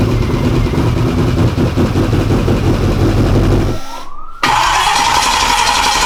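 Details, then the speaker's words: F150 prerunner started for the first time after a five-year build, fuel pressure around 40 to 60: engine catches, runs ragged, stumbles almost to silence, then picks back up, sounding flooded; the fuel pressure regulator is suspected bad, with gas seen in its vacuum line. "right it's like it sounds like it's flooded yeah it does it again"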